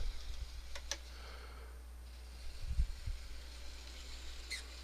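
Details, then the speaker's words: Atlas/Kato RS-11 N scale locomotive motor running: quiet whirr with occasional sharp high chirps, worse in reverse than forward; motor normally squeals; owner suspects a bent axle, cause unconfirmed. "Oh, there it goes. You hear that chirp? There it is. It does it both in forward and reverse, but it does it more in reverse."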